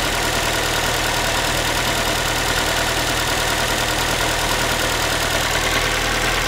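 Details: Ford Focus 3, 1.6 engine (125 hp), steady idle after a cold start: a thin, tinny, pan-like metallic rattle rides on top, loosely tied to engine speed. The owner is asking what it is, and the source is unknown.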